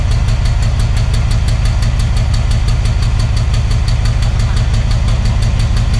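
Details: Thai Railway Alsthom diesel locomotive: heavy idle with a steady low rumble and a regular knock about fifty times a minute, plus black smoke; abnormal sound, cause unclear.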